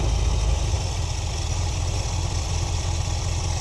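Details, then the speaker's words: 1973 Ford Econoline 302 V8 with Edelbrock carb, re-gasketed after winter storage and mixture-tuned: smooth, even burble at about 800 rpm with steady 17–17.5 inHg vacuum, no misfire or hunting; a healthy idle. "we're at a nice solid 17 to 17 and a half just drop the idle hair here and we're at 17 and a half at about an 800 RPM idle"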